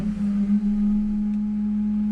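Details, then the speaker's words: Ford Mustang 2000 (possibly 2001), 4.6 engine at idle: loud steady horn-like hum from the air filter duct that changes when the valve is tapped; the valve is suspected, not confirmed. "este carro trae una falla que hace un ruido muy extraño ahí por el ducto del filtro del aire es decir como que un ruido si un zumbido así medio raro"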